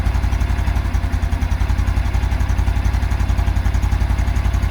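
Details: 2022 Super Cub idling: an even, loud knock three or four times a second, seeming to come from the clutch plate area; it disappears with revs and returns at idle, hot or cold. Cause unconfirmed.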